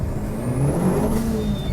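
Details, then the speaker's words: Renault Clio 172 with Audi/VW 1.8 20v turbo swap, near 300hp front-wheel drive, test drive after driveshaft repair: high whistle climbs over strong engine pull under load, no flutter or surging; normal turbo boost. "Yeah, pushes forward now on boost. I love it. Good fun little car."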